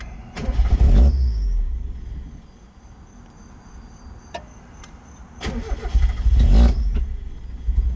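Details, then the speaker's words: Mazda MX5 Miata, with MAF disconnected: engine catches, revs briefly and dies within a second, twice; cause found as intake manifold missing its nuts, moving and leaking air. "all right so i was messing with stuff like your idle air control valve and then i noticed that this whole thing's moving this is not supposed to be moving"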